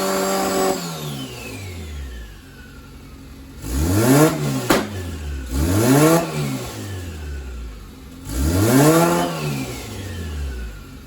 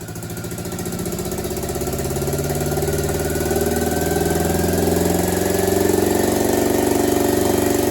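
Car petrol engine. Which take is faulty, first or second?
second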